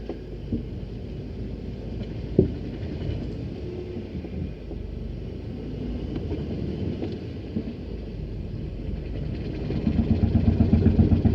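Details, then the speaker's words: Mercedes-Benz 190E on test drive, reversing: low rumbling drone with an uneven scraping pulse about four times a second that grows; heavy grinding, owner feels brakes are binding, not confirmed. "A whole lot of grinding going on. Feels like the brakes are binding on."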